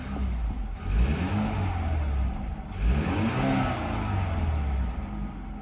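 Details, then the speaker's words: 2013 BMW 328xi four-cylinder at Copart, two quick throttle blips rising and falling smoothly with no knock, rattle or misfire; inspector, unfamiliar with these engines, thinks it sounds normal. "yeah I mean I never owned these oh four cylinder engines but I heard from many people that this is how they sound so I think it's fine"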